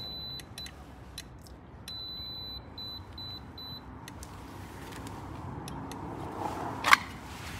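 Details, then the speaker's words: Sliding gate with D5 and swing opener, safety beams moved close range, installer mode, covers off: short high-pitched beeps in clean bursts over quiet background; receiver alignment tone shows beams lined up and working. "let's take this over and see if we get alignment close range okay still in installer mode so there's our tone so they are"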